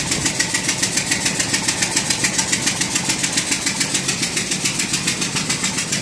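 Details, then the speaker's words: Ford 5.4 Triton V8 idling with a sharp, steady tick about three and a half times a second, like an exhaust leak at one cylinder; still present after the manifold gasket was replaced, penetrating oil burning off, cause unknown. "this noise started suddenly we got for all the world it was an exhaust leak at one cylinder investigation showed leaking of exhaust gas near the manifold"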